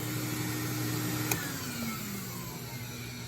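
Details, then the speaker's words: WAXIE Versa 2 vacuum with water lift problems: a steady high motor whine with a rough edge that drops in pitch as the motor spins down, because the vacuum motor bearings have failed. "Oh, bearings are gone."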